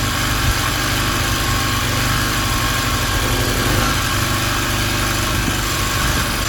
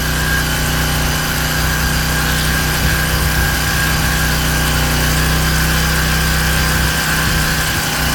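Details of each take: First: King Canada Powerforce 1500W generator, warmed up, off choke, no load: steady, low, slow engine drone without hunting, only 48 volts output; underspeed, governor set too low, then turned up via adjustment screw. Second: King Canada Powerforce 1500W generator, no load, governor screw adjusted to about 120 volts: steady even engine hum at one speed, no hunting or surging; normal no-load running.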